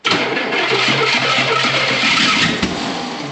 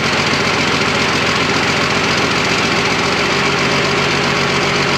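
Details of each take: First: Hard start on an engine reeking of fuel, running rich with the choke on: cranks and catches roughly, then one sharp pop, a backfire; exhaust suspected restrictive. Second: Freshly rebuilt twin-turbo Fummins diesel on first start, injection pump timing just set, no coolant: loud, steady clatter at an even idle with a rough but consistent beat, no odd knocks; sounds super healthy.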